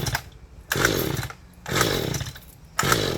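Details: Mantis tiller pulled with choke on after gas added directly: three pull-cord bursts about a second apart, engine whirring over with no firing. No-start, video traces it to the carburettor fuel-pump diaphragm; owner also suspects weak spark.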